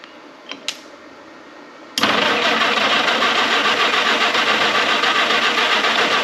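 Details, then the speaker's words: Historic Ford Willys Jeep, sat many years, manual choke: starter spins the engine evenly at three to four pulses a second but it never catches; crank no start, owner suspects the ignition points need cleaning. "I almost bet I need to clean the points up some kind of way. Well, I'm going to go clean them points, get them better, th"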